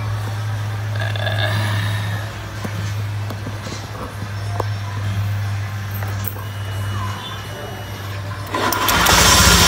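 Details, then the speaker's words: 2015 Honda Beat eSP scooter at idle, rough grinding/whining noise from the middle of the engine, not the CVT or magneto; steady low hum with a faint rough whine; crankshaft bearing whine. "Nah jadi di motor Beat ini ada suara grengseng ya atau ngiung ya teman-teman"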